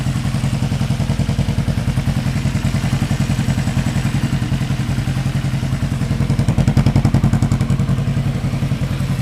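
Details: 1975 Yamaha XS500 twin, left cylinder carrying the load at idle, before carb sync: lumpy, uneven idle with a pulsing beat around three and a half per second; carbs likely need syncing.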